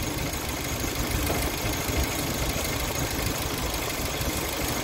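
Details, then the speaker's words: 1996 Geo Tracker that overheated at idle, after fan clutch fix: steady idle with a strong even rush of fan air, fan now audible and moving twice as much air; fixed. "oh it's fixed just blowing twice as much air at idle twice as much air and now when I rev it up too it makes the fan sound you can hear the fan before you couldn't so good to go"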